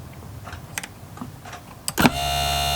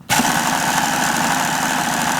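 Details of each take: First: Hobao Hyper7 RC starter box motor after repair, on 13.2 V with the switch bypassed and no belt fitted: a few clicks, then a clean, steady whine; the motor runs normally. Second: Hobao Hyper7 RC starter box, motor reassembled with belt on and switch bypassed: steady whir with a gritty, uneven rattle; it sounds rough, wobbly and loose, essentially unchanged by the repair.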